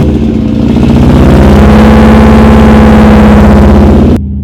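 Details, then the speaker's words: Subaru Legacy WRX swap car on start-up with only a 3-inch downpipe, straight-piped with the exhaust ending under the car: a very loud, raw, droning roar with a buzzy steady note and no muffling at all. "the exhaust ends right there under the car completely straight piped and it is the loudest car you ever heard"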